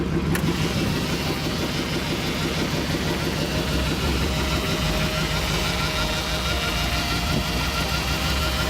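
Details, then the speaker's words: 1999 Jeep Grand Cherokee 4.7L V8, 146,000 miles, first start after purchase: lumpy uneven idle with stumbling beats about three a second, whole Jeep shaking; owner suspects a misfire or a big cam, before spark plug replacement. "oh yeah that is not good the whole Jeep is shaking yeah I've got a pretty bad shape to it here i'll give you guys listen either it's got a huge cam in it or its misfiring"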